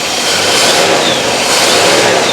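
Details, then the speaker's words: 4.6 L V8 revving with a thin high squeal that starts softly and quickly worsens. Cause appears to be a fan belt not fully tight plus an alternator not square to the engine, flexing and stressing its shaft. "but you already hear it little squeaky which starts off quite softly but pretty soon it's going to get quite bad now it's got worse very quickly now I'm not sure it's the fan belt which is not fully tight"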